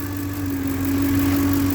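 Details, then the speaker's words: 2007 Ford Expedition 5.4 V8 at idle: constant grinding mid-pitched whine from the failing alternator, battery light coming on and off; tensioner checked first, alternator to be replaced. "That grinding, whining sound is coming from the alternator."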